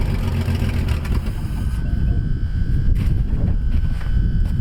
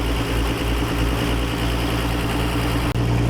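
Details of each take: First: 1957 Dodge 1.5-ton truck, first start after years of sitting: rough, heavy engine rumble with a steady thin whine above it that stops near the end, the starter hanging engaged while the engine runs. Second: 1957 Dodge D500 1½-ton ex-military truck showing 52,000 miles, Sea Foam added, choke being opened as it warms up; the owner asks about a possible vacuum leak. A deep, steady, even idle with no knocks or misses: a normal warm idle.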